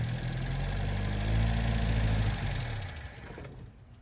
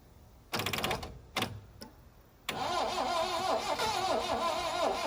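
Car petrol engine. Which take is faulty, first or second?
second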